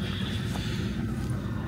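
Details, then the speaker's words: Adria Supersonic motorhome diesel heater running in snow, below freezing, started before driving to pre-warm the engine and cabin: steady low hum with soft even ticking and quiet fan rush; normal running. "Det som ni hör som låter just nu, det är dieselvärmaren. Vi startar igång den lite grann innan vi ska köra här, så värmer du upp motorn lite grann, tänker jag."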